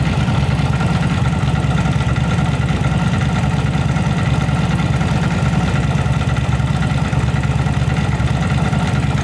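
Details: Yamaha V-Star 1100 Classic V-twin with carburetors, repaired for backfire and spark plug flooding, traced to a rotten pipe. Deep, even idle with a steady low thump on both cylinders, no misses or pops. Normal, healthy idle.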